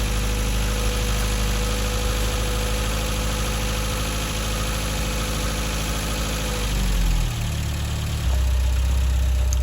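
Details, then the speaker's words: Mk1 Vauxhall Astra after breakdown diagnosis, idling at least 10 minutes to full temperature: steady even idle, smooth low rumble, no knocks or misses, then cooling fan cuts in; normal. "well now the car has idled for at least 10 minutes and it still sounds really strong"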